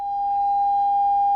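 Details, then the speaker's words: Fender Super 60 combo, clean channel volume fully down, with an added 47k gain jumper, fed by a signal generator: steady mid-pitched test tone still clearly audible; signal leak-through at zero volume, fixed by restoring the correct resistor. "so there you can hear that's with the volume fully down that's with the 47k that's been added"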